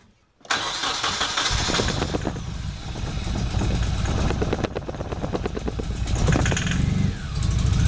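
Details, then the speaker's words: Nissan 240SX after MSD ignition install, fuel pump clogged by 8-year-old bad gas, run on sprayed starting fluid: starter cranks, engine catches briefly then stumbles and shakes from misfire without running; motor mounts are new. No start from clogged fuel pump. "Well, as you can see, it tried to start, but with the fuel pump being out and it's completely clogged up, it won't even pump any fuel into the engine."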